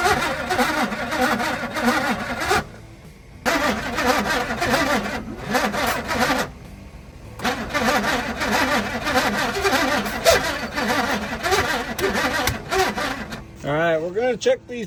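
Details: 1978 Pontiac Firebird base model with 305 V8, abandoned since 1989, fuel-primed first start attempt; long repeated bursts of steady starter cranking with no firing between tries, turns over but won't start; ignition wiring and firing order then checked.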